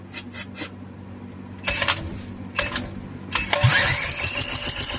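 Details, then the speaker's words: Wisconsin Model AB engine, hand over the exhaust, head bolts tightened: slow, uneven puffs and clicks as it is pulled over by hand, each compression stroke pushing back firmly; good compression, spark not yet checked. "Oh yeah. It's actually making good compression."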